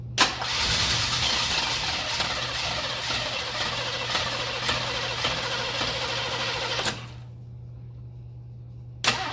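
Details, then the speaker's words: Engine cranking on the starter with no coolant (cracked radiator): each compression stroke audible at about 200 a minute, occasionally skipping one, and the skip went away on recranking; owner suspects a sticky valve or sticking hydraulic lifter. "You can hear each individual compression stroke in the engine if you listen carefully, and then you can hear it skip one."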